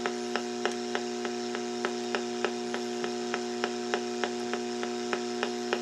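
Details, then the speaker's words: Portable battery radio on AM broadcast band between stations near A&H 12 V 4 A switch-mode pulse repair charger in pulse mode charging sealed lead-acid battery; steady buzzing hum with sharp evenly spaced ticks about three per second: charger RF interference. "I'm going to plug in this uh this charger and we'll see what happens now the noise level you can hear it yeah I put it on pulse"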